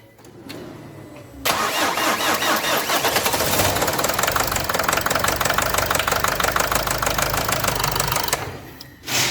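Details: Nissan Qashqai 2.0 dCi diesel starting and running with loud hard metallic knocking over the clatter, caused by damaged connecting rod bearings; serious engine damage, crankshaft scored.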